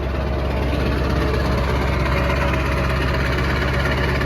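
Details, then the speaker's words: Diesel truck with 695,000 miles, cold start, fires right up and settles to a steady low clatter at idle with an even pulse and no odd knocks; big injectors noted, smokes a lot, sounds good. "got big injectors here that's why it's doing that hopefully the edpv kicks in it sounds good"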